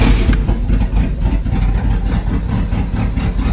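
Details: Turbo Cavalier with a welded custom exhaust, started after swapping plugs and plug wires: lumpy, stumbling, misfire-like idle; the wires are suspected of being mixed up, but the cause is unconfirmed.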